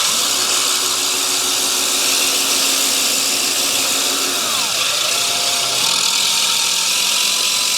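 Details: Allett Stirling 51 reel mower being backlapped with compound, reel driven in reverse by a drill: steady harsh high-pitched grind against the bedknife, easing as it runs, either compound moving off the blade or it needs adjusting down; not sharp yet.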